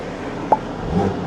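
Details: Rebuilt BMW G80 M3 with replacement engine, warmed up with coolant topped off and seemingly bled, VRSF downpipes: free revs, pitch climbing smoothly with no knocks, rattles or misses. Healthy.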